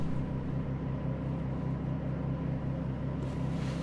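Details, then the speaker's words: 2008 Vauxhall Corsa 1.2 petrol, secondhand purchase, before any work, service/electrical fault light on: engine sits idling happily with a smooth, even low hum, no ticks, misses or hunting; starts easily cold or hot. Normal idle. "sat there idling awake happily so let's go take a look in the bottom"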